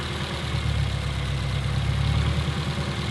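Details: Petrol engine idling with an uneven, lumpy beat as one cylinder misfires; spark plugs and ignition coils to be replaced, misfiring cylinder found by unplugging coils.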